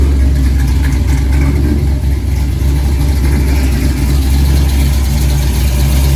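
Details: 1964 Chevy II Gasser, LS V8 swap with Holley Terminator X, first start; fast steady idle with deep even drone, no misses, idling high until coolant warms, expected then to drop toward the 800 rpm target; cold high idle.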